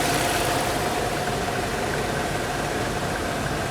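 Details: 1998–99 Audi A6 C5, no-start with code P1570; it catches then stalls. Uneven, stumbling idle about four beats a second; one cylinder isn't firing.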